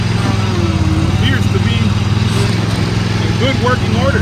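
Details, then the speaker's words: Used Dixie Chopper XG2503 zero-turn mower, Generac gas engine, running while drive handles tested forward and reverse, blades off; steady even drone without surging or knocking; motor sounds good, revs up nice; normal running. "motor sounds good revs up nice all the handles work"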